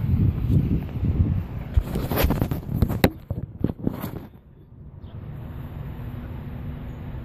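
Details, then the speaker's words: 1990 Nissan 300ZX twin turbo with custom 2.5" turbo-back exhaust, Magnaflow mufflers, JWT intake and ECU tune: deep throaty rumble swelling with throttle blips, back to quiet even idle; runs nice and smooth, healthy. "all right there she is running everything's nice and smooth get a little gas"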